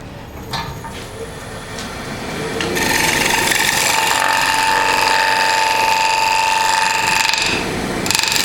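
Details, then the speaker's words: Woodturning a square platter on the lathe: quick, even clicking as the gouge bevel rides over the spinning square corners. This is normal; when the clicking stops the tool has reached the edge. "And you can hear, once I get out by the corners, you hear the clicking. When the clicking stops, I know I'm at the edge."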